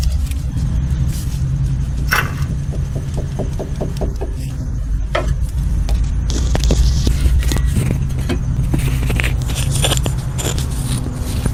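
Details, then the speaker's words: Drive axle rocked by hand before repair; the outer CV joint is tight with no play. Dry clicks and knocks, three or four a second, from the worn inner CV joint, whose boot is separated and leaking grease. "you got that sound okay so I just confirmed that I definitely have to do the inner"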